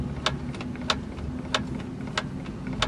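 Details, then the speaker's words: Lada Vesta manual gearbox, wheels raised and spinning in gear: sharp metallic tick about every 0.6 seconds over low drivetrain hum, following wheel rotation; unexplained knock, gearbox or differential suspected. "вращение вывешенные колеса непонятный стук"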